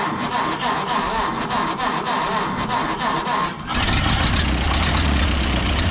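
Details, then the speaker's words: 1930 Ford Model A pickup, gasoline four-cylinder, push-button start, choke likely needed: slow even cranking at a few pulses per second, then catches and settles to steady low idle; normal start and idle, tune-up planned. "I'll just show it idling yeah we'll probably have to give us a choke"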